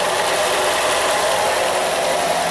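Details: 2013 Nissan Qashqai, 1.6 engine, front-wheel drive, JF015 CVT, about 90,000 km, idling in Park: a constant rough whirring hum that changes with selector position, from a disintegrating input shaft bearing shedding debris into the oil filter.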